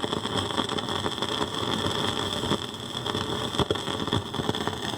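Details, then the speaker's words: Fisher 400 tube receiver with fresh output tubes, failing after a couple of hours of play: irregular sharp crackles and pops over a steady hiss. Plate voltage on one side swings instead of holding a steady 420. Bad output transformer crackle. "you're gonna hear what a bad outfit transformer sounds like there it is sounds like silver mica disease doesn't it"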